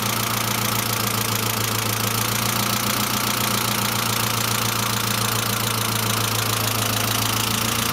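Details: Saab C900 after engine/head rebuild, steady idle: constant light ticking three to four per second, noisy hydraulic lifter; no oil leaks, pressure lamp off; owner suspects oil pressure relief valve inspected but not thoroughly cleaned, return line leakage apparently ruled out.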